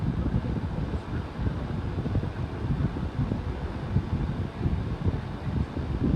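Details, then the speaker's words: New Hampton Bay 11-inch table fan: steady low whooshing rumble of airflow, no ticking or rubbing; owner unsure if a fault like the previous air-restricted unit or just moving much air, content with it. "it is moving quite a bit of wind so maybe that's just what it sound like because it's moving so much air"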